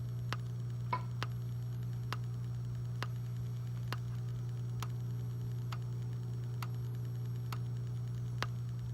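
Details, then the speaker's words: Gentex Commander 2 horn strobe, 24 V, set on code 3 mechanical horn with constant panel output: after silencing, a steady low electrical whine with faint ticks about once a second; horn back-fed because DIP switches are set wrong. "All I did was stop the beeping on the panel. So everything's flashing fine. And if I hit silence, so you'll hear a whine start to come from the device."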